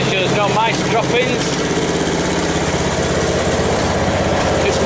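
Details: Westwood T1200 garden tractor after winter storage, just started: even, steady putter at constant idle, no misses or knocks; idling healthy.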